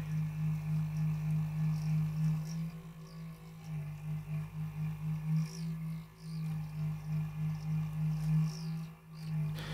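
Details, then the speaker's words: Computer power supply fan: deep droning growl pulsing about three times a second that vibrates the desk and sounds like an old refrigerator, caused by very dry fan bearings. "Thing sounds like an old refrigerator. So this is obviously a mechanical issue, so the bearings in the fan are dry. Very dry."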